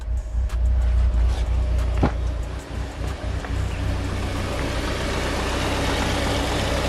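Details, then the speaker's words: Mitsubishi Evo 8 first run after sitting 8 years, temperature normal, radiator fan working, coolant being flushed: steady low even rumble without stumbles after earlier loping, normal smooth idle. "I mean, the fan turns on, car runs great. Dude, everything else is turning out smoothly as possible."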